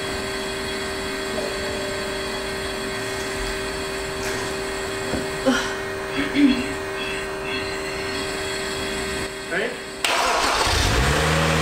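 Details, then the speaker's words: 2012 BMW 135i E82 N55 turbo six, rebuilt from a wreck, first start after battery hookup: steady, even, smooth idle with no knocks or misses, no check-engine light; minor oil pan gasket leak suspected. "well it runs yeah no check in tonight's or anything actually runs pretty good sounds healthy"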